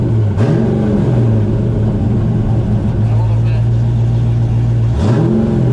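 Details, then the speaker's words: Supercharged Formula Drift ProSpec drift car: a constant low drone at idle that follows two quick throttle blips. It occurs in neutral but not with the clutch in, so the transmission is suspected, not confirmed. "Well, I have more sets of tires, but I'm going to call it my trans is making noise."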